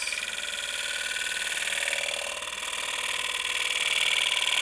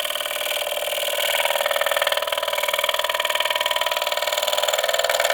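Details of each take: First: Woodturning a honey locust volcano bowl, bowl gouge sharpened at 60 degrees, slow cut: steady high hiss peeling wood with an even slow rhythm, no chatter or catches; clean cut picking up the surface before the final blend. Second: Woodturning a rectangular honey locust volcano bowl with a 60-degree bowl gouge: fast regular tapping about three per second over a bright cutting hiss as the interrupted cut punches off and damages the corners.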